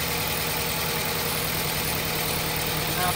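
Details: 2006 Toyota Corolla, rough idle and vibration on acceleration, during coil-swap test between cylinders one and two: uneven, lumpy idle with a loose stumbling beat under a busy hum; misfire from a bad ignition coil.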